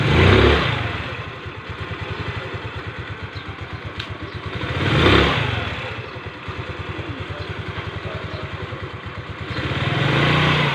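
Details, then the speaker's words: Rusi Gala scooter after replacing a heat-hardened CVT V-belt: steady idle putter and three clean throttle blips, with the scraping noise from the CVT gone. "bale nawala na yung parang tunog na kumikiskis mga sir"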